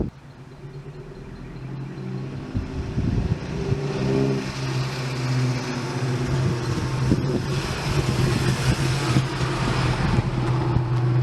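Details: 1999 Toyota Tacoma, first start after installing a Walbro 190 LPH fuel pump and 440cc injectors on the stock engine, idle air-fuel about 14.6–14.8: catches and settles into a steady, even idle with a smooth low drone, no misses or knocks; healthy.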